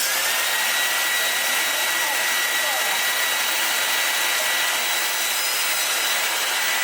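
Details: 1970s Lux motor fitted into a 1987 Numatic NV200 vacuum cleaner in place of the original 1987 motor: smooth high-pitched rushing whir at constant speed, no grinding or bearing rumble; spins up and runs evenly.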